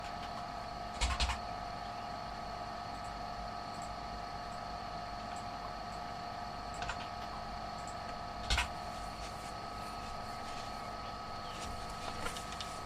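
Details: Tesla V100 GPU running YOLOv8x inference, which gives loud noises while yolov8s gives none: a steady high-pitched electronic whine with sharp, irregular clicks under heavy compute load; cause unconfirmed.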